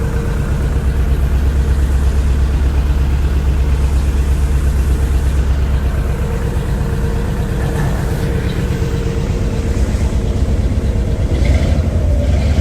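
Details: 1964 Chevy Impala after crank-no-start fixed by replacing a broken part: steady, deep V8 idle with even low rumble and no knocks or stumbles; runs normally.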